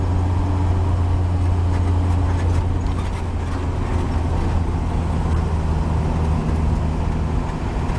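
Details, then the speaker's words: 1949 Chevy 3100 Stovebolt six with new Pertronix Flamethrower distributor, Igniter II module and Flamethrower II coil, cruising at 40–45 mph sweet spot: steady even drone over road noise, no misses; firing cleanly and smooth. "It just everything just sounds like it's hitting every lick, and it's just smooth. If you listen to the engine, it'll tell you where it's happiest at."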